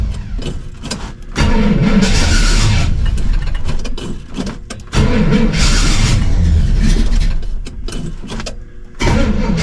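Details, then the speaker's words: 1968 Pontiac LeMans, sitting most of the winter, cold start: repeated cranking bursts before it catches, then an uneven, lumpy run that surges and sags. The owner suspected it was out of time; it then ran strong. Rough cold start. "A little bit of a scare, but um yeah, it sounded like it just wasn't in time or there was something going on."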